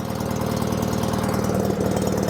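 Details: Small single-cylinder rototiller, sat unused a season, started on second pull after adding gas: runs steady and even with a quick regular beat, no knocks or misses; healthy normal running.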